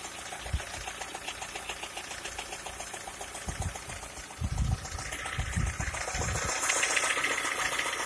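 Idling engine with a light, regular ticking knock at roughly four per second over a quiet background; a knock whose source is not clear.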